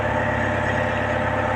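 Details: Sunward SWE50 excavator diesel, after battery relay replacement for hard starting: steady, even idle with a smooth beat and no misses or knocks; engine sounds healthy and ready for operation.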